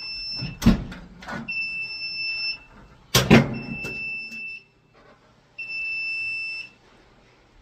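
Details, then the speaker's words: Apartment fire alarm panel with failing backup batteries and a nearly corroded terminal, being swapped for new ones: shrill beeps about a second long repeat every couple of seconds between handling clunks. This is the power-trouble signal. "So, it looks like we got it. Just bad batteries."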